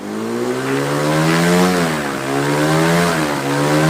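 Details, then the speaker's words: Quicksilver ultralight two-stroke with newly installed 3-blade Warp Drive propeller, warmed up, static ground run at full throttle to about 6,200 RPM; loud steady buzzing drone with slight rises and dips, pulling cleanly. Normal full-throttle run-up. "Well, just got done running it on the ground static. I got it about 6,200 RPM."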